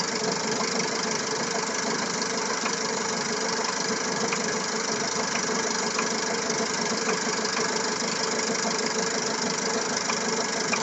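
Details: Petrol engine with new cam phaser, water pump and timing drive and fresh Elf oil, at steady idle with a light, regular tick-knock about three times a second; source of the knock unknown.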